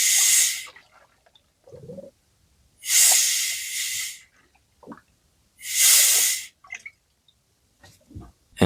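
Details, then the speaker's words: VW Passat B8 2.0 TDI EA288 (DFGA) coolant refill after repair: heater pipe hose removed and about 1.5 bar compressed air applied; three sharp hissing bursts as trapped air bleeds out of the coolant hose. "And so the air little by little goes away. You can use compressed air. Just a little bit. One and a half bars."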